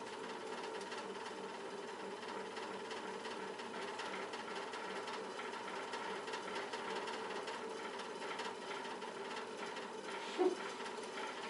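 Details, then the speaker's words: Old Montgomery Ward fan-forced radiant heater: steady whirring fan with loose, uneven ticking and rattle; suspected blade loose on its rubber hub plus play in dry bearings. "rattly old fan."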